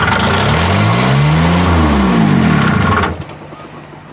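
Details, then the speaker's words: Niftylift HR17 SP50 Kubota diesel, cold day, after glow preheat and fixing low supply voltage (12.6 V feed): cranks, catches and revs unevenly about three seconds then cuts out dead; control board suspected. "so it's turning over that's good so something else is causing the troubles here it starts and shuts down immediately"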